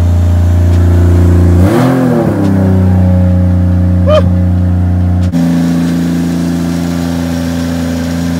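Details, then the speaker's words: Turbocharged car, cold start: idle with a rev blip and a ragged puffing tick over the exhaust note; exhaust leak at the stock turbo elbow and small piping, to be replaced. "yeah this exhaust needs to go like you can hear the exhaust leaks"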